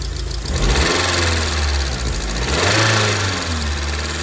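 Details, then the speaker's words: Rover 75/MG ZT 2002 with suspected engine damage after stalling at idle; engine missing slightly, a little smoky, owner wonders about head gasket or loose head bolt; steady low idle with light fast ticking and a brief blip: noisy valve tappets. "it is on the smoke here side don't I'd say but you can see the there are some valve taets there are a little bit noise to"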